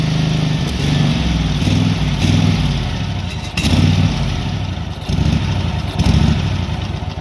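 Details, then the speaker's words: SCAG SWZT 52-inch zero-turn mower after a new aftermarket carburetor; it runs a little better but surges and sags about every second with quiet backfiring pops. Owner suspects fuel starvation and plans a new fuel pump. "so it kind of seems like it's being starved for fuel so i'm gonna try and put a new fuel pump on it"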